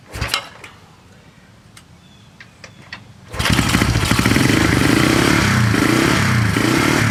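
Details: 1970 Honda SL350 motorcycle, first start attempt, gas poured into plug holes: quiet handling noises, then engine fires and settles into a steady, even idle at roughly three and a half beats per second.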